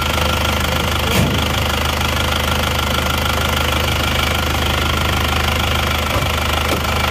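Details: Isuzu Panther Touring diesel after overheating from running out of coolant on the toll road, original worn nozzles refitted with very low pressure readjusted; steady even idle throb with injector clatter, no misses or heavy knock, smooth.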